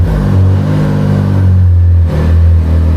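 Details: Can-Am Maverick R with DCT transmission, restarted after changing transmission magnets, before any DCT relearn; no error messages. Strong, steady low idle with brief dips as gears engage, no clunks or grinding; healthy.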